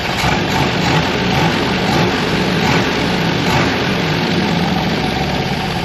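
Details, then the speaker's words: Buick 364 nailhead V8 rebuilt Craigslist engine: settles into a steady, even idle with deep smooth rumble, no knocks or misses; heavy blow-by noted, rings expected to seat; normal idle. "Guys, that's a beautiful noise, sound, and smell."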